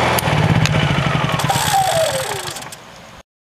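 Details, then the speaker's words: Honda EU3000is generator being shut off with the key: even engine pulses, then speed and pitch fall smoothly to silence with no knocks or rattles; normal shutdown. "we're going to go in and we're going to do the uh next task and that is to shut the generator off"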